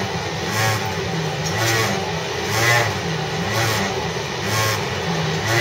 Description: This unusual Mortdale S-Set (S18) running a City Circle Service via Granville had weird noises blaring on the 3rd carriage that I was riding on. This noise sounded like a motorbike having a stalling engine.